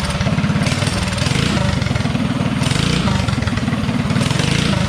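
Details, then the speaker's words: DuroMax 208 mini bike with VM22 Mikuni carb, idle lowered with the slide screw, testing throttle tip-in: thumps along at idle, then stumbles and bogs briefly on opening; lean tip-in hesitation, needle clip to be moved down to raise the needle. "so I think it's a little bit lean on the tipin throttle response cuz it does hesitate a little bit"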